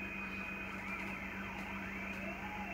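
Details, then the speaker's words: Yaesu FT7 transceiver after its board contacts were cleaned, which fixed the ticking audio fault. A clean, steady test tone plays over soft hiss with no ticking or crackling. The receiver audio is healthy. "but at 0.158 it's noise-free minus 123 dbm so not bad not bad at all"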